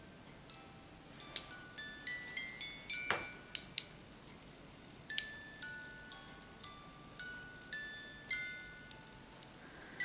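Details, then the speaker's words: Overwound music box with badly corroded, rusted gears and fly, just oiled: scattered chime notes in uneven bursts, stopping and starting as the sticky mechanism holds back. "here we go do you see it run but still you gotta do all right and it stops and it starts"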